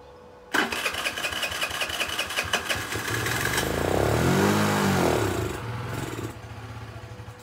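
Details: Chinese Geely 50cc scooter that sat, before carburetor cleaning: choppy cranking catches, revs up and sags unevenly for a couple of seconds, then fades out; fuel-starved, carburetor clogged and to be removed.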